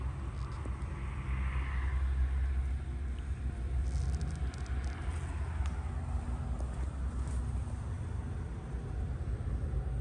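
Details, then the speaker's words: 2014 Jeep Compass 2.4 MultiAir idling with a coarse, lawnmower-like rattle from the front cover, as loud up top as at the crank pulley; sheared oil pump/balance shaft gear teeth found in the oil pan. "Find all these teeth sheared off. Made the car sound like a lawnmower. sounds the same as if the alternator pulley was bad or if the chain was if the tensioner was bad."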